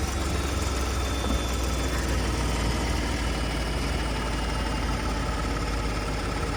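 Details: 2018 Ford F-150 cold start at idle: fast, fine rattling chatter over the low petrol engine hum; timing chain noise suspected, not confirmed.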